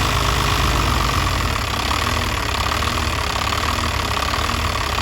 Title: VE Pump fuel leak and rough idle